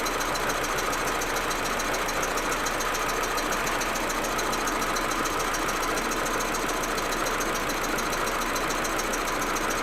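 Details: Audi A4 1.8T idling cold: uneven, stumbling beat with occasional stutters over a busy hiss, misfiring; smooth once warm. Plugs, coils, ignition amplifier and many cracked vacuum hoses already replaced; owner suspects injectors or carbon buildup, cause unconfirmed.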